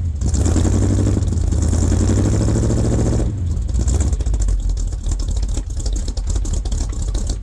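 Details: 1978 K25 with freshly rebuilt engine, after its first cold start at about -8°C: deep, even rumble at steady idle with no knocks or ticks while warming up; sounds healthy.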